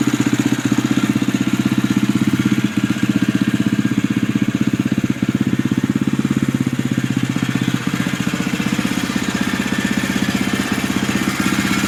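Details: 2011 Husqvarna TE630 at idle, under 100 miles: coarse whirring blender-like chatter at about four pulses a second, something rattling inside; owner questions whether it is normal, source unclear.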